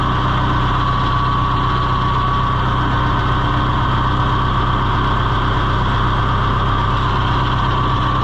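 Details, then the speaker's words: John Deere 2020 HU diesel idling with hydraulics quit after getting stuck: the pump's usual clickety-clack ticking is absent; owner suspects a half-sheared pump drive key. "And you can hear the pump is not going clickety-clack like it normally does. And that makes me wonder if maybe, like I said, it's half sheared the moon key off"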